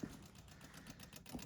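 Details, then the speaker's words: 1972 Rover 3500 P6 V8 that sat 6-10 years, electric fuel pump priming the carburettors after float bowls refilled: quick light ticking, about ten to twelve clicks a second; normal fuel pump ticking. "Ticking away. Everything seems fine."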